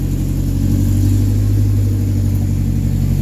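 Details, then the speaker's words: Engine running after the belt was refitted and the radiator and overflow filled; the battery light is on but it is charging. A steady, even hum with a smooth low rhythm and no knocks, squeals or misfires; runs well. "that sounds real good just like the Marquee"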